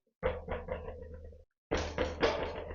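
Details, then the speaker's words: Gravel bike front wheel bounced: short, rattly knocks from a small multitool loose inside the hollow thru-axle. It caused weeks of rattling while riding. "Genau, das ist dieses Rasseln, dieses Klappern einfach nur nervig, aber ich habe rausgefunden, was es ist."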